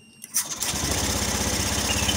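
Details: Honda Scoopy FI scooter that died suddenly and only blinked on the starter, now fitted with a good battery: brief starter whirr, catches within a second, settles to an even steady idle; normal start, fault traced to CKP.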